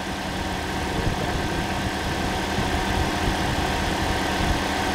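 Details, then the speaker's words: Toyota Corolla engine just refitted, idling right after first start, before coolant filled: steady even idle, smooth low hum, cooling fan whooshing (possibly air conditioning); no engine lights, sounds healthy. "Right, what I'm going to do now is put water in it. Sounds nice."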